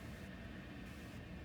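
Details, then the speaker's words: Statim autoclave running an unwrapped cycle with two instruments in the cassette, after start beeps: a steady low rush of steam with an even hiss, no knocks or surges; normal pressurizing. "And you're going to hear the beeping, then you'll hear it's building up pressure and steam."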